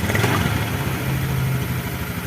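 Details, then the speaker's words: Honda Vario/Beat FI eSP scooter after fixing lost ignition (MIL code 52, CKP sensor; code 12 from dirty injector socket) and kick-starting: even low putter with a brief blip, firing steadily; engine running normally again. "kemudian kita coba engkol dulu ya alhamdulillah teman-teman ini sudah jalan ya"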